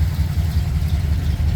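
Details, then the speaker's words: Ford F100 with FE V8 idling on a 95° day, just restarted with starting fluid after the starter quit, choke partly off: steady low rumble, even exhaust pulses about five a second, no knocks or misses. Normal idle. "Take off the choke a little bit. Give it some gas. pull the choke back out. And these FE engines, they're cold bloodooded, even on a day that's 95°."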